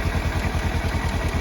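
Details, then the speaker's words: 2017 Kawasaki Versys-X 300 after repairing the handlebar starter switch contact: good clean start straight away, then steady, even low thumping idle with no misses, knocks or clatter; runs smoothly. "Good Start straight away that's a good clean start contact"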